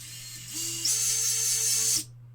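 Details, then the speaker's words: 5-inch FPV quadcopter build, props off, LittleBee 30A ESCs: high whine steps up as all motors come in together, holds smooth and even, then cuts cleanly; all spin the correct direction. "nice. Everything's fine. They all spin the right way, as they should do."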